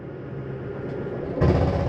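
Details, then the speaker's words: 2015 Jayco Whitehawk 21FBS travel trailer slide-out retracting: steady low motor drone, then half-second burst of loud rattling at the stop; normal slide mechanism signalling it is fully in. "why don't you hear that noise that's just the slide mechanism saying it's in all the way"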